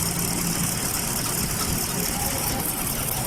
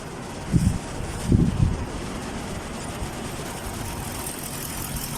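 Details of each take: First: Chevrolet Caprice V8 idling rough with engine vibration, an uneven lumpy thump. The scanner shows a multiple cylinder misfire. There is no spark from the bank 1 coils, caused by a cut ground wire at the back of the engine, which is repaired by soldering. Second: Chevrolet Caprice V8 after repairing a cut ground wire at the back of the engine that caused no spark from bank 1 coils and multiple misfires; now settles into a steady, even low idle with no stumble or misfire.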